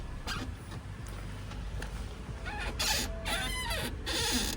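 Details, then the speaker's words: Alfa Romeo GTV rear suspension: uneven bursts of short high-pitched squeaks over a low rumble; owner suspects the rear lower control arm (dog-bone end link) with worn bushings, or possibly the shocks. Not confirmed. "This rear lower control arm is squeaking really bad."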